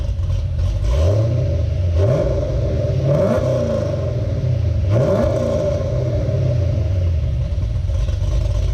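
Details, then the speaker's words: 2017 Camaro with mild cam, free revving: deep steady V8 idle with several quick clean blips rising and settling evenly, no knocks or rattles, healthy engine. "Sounds good, man. You can shut her off. What do you guys think? That sounds pretty damn good."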